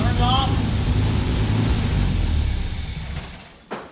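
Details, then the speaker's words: 1972 Opel GT revived after decades sitting: low uneven idle with irregular stumbles, fading out; carburetor base gasket vacuum leaks. "I'm going to tell this carburetor part because we figured out there's some vacuum leaks on the uh we I tightened up the bolts and we still had vacuum leaks cuz it still was running rough"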